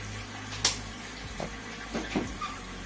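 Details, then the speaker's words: Washing machine running without its control module, rewired with a timer and switch, drained manually after washing: soft trickle of water with a few light knocks and low hum; water empties normally. "Sekarang kita keringkan, drain. Jadi dikuras dulu airnya."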